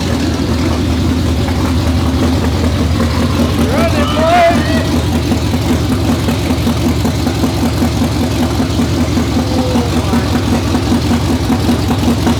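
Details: 2019 Roush Stage 3 Mustang V8, first start after a blown engine. Lumpy, uneven running with a wandering beat, barely hanging on and needing throttle to stay running. Camshaft position sensor circuit codes are set; a possible harness issue is suspected.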